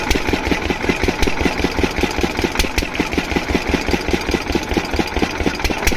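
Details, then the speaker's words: Diesel water-pump engine, after fixing the no-start caused by no fuel supply, thumps steadily at six or seven beats a second with no misses or knocks; running perfectly, no problem. "तो दोस्तों यह engine बिल्कुल perfectuli चल रहा है इसमें कोई दिक्कत नहीं"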